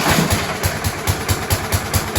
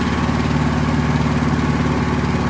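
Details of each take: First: Scott Bonnar mower, Briggs & Stratton Sprint 375 4-stroke, after fitting a recycled primer bulb, throttle set mid-way (throttle faulty): slow, loping beats about four or five a second, barely holding on before conking out. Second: Scott Bonnar mower, Briggs & Stratton Sprint 375 4-stroke: fires with an even, steady beat, revs, then eases smoothly down and fades; healthy running.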